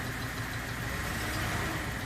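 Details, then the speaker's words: 1980 Datsun 280ZX inline-six (manual), first start after sitting since about 1997, with a mouse nest still being cleared: an uneven, stumbling idle with dropped pulses, running rough. A stuck injector or fouled spark plug is suspected, not confirmed. "It's not going to be happy for quite some time, but may have an ejector stick in,"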